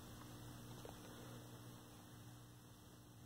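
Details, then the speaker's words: 1932 Aztec cathedral radio after clearing a short, RF tubes untested: only low steady hum from the speaker, no station reception; progress, no longer blowing fuse, cause unknown. "hear the speaker humming away static if we turn that so it's progress better than it was"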